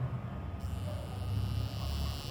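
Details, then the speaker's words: Mobile phone vibrator motor tested on a 3.7 V battery, plus wire to plus, green wire to minus. Steady, even low buzz with no stutter or rattle as it spins freely. Normal vibration motor; vibrator is good. "और आवाज़ भी कर रहा है, तो मतलब कि vibrator ये सही है। इस तरीके से हम वाइब्रेटर को चेक कर लेते हैं।"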